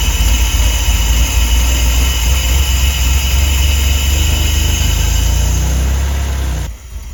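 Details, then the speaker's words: DeLorean DMC-12 with Bosch K-Jetronic fuel injection, pre-warmed to first temperature line (not cold), idle hunts in slow waves, nearly stalling then recovering, repeating and slowly improving as it warms; engine cuts out near end; progressively worse starting and hunting. "This oscillation of almost stalling will continue to repeat in a cycle, slowly improving as the engine comes to temperature."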